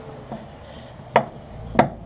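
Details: Datsun 1200 with sloppy steering: two sharp single clunks about half a second apart as the wheel is rocked by hand; the idler arm bushing is worn out.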